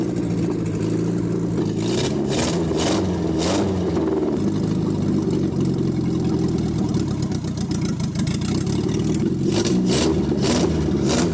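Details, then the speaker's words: 1967 Austin Healey Sprite revived after years of neglect, driving on the road after carburetor leveling: steady engine note pulling cleanly with lift-off and throttle changes, no knocks or misses; runs healthy. "that ain't really pretty good it sounds pretty darn good too"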